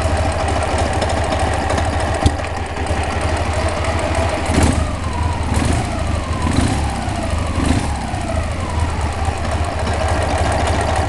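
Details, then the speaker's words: Knock or rattle from the clutch when the clutch pedal is pressed: steady idle, then irregular knocks and rattles as the pedal goes down; owner can't tell if it's a knock or a noise, cause unknown. "у меня как бы появилась такая проблема когда выжимаю вступление является какой-то шум то ли стук то ли шум Я не знаю не могу понять"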